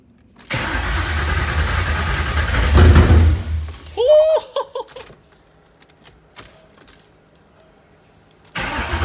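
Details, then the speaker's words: SN95 Mustang with Coyote V8 swap, first start after the fuel system had not been priming and was gurgling. Loud, uneven cranking catches, then a squeal and stumbling bursts die away; it fired but runs poorly, cause unconfirmed. "hell yeah how's that all right so she fired up not real well but uh you know that's a start we got fuel air and fire"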